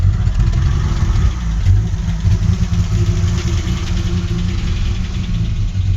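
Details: 1984 Alpina B6 with 2.8-litre M30 inline-six at idle: deep, lumpy beat with an uneven stumble as a cylinder keeps dropping out; misfire cause still undiagnosed after troubleshooting.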